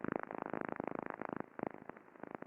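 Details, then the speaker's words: Fan non-drive-end bearing heard ultrasonically, a couple of weeks after alarms for friction and impacting: dense irregular crackling bursts with buzzy metallic ringing, severe impacting; bearing replaced at next shutdown, after which it sounded clean and healthy. "Quite dramatically worse. Lots of impact, lots of noise. So the decision was made to change out that bearing on the next available time the machine was down."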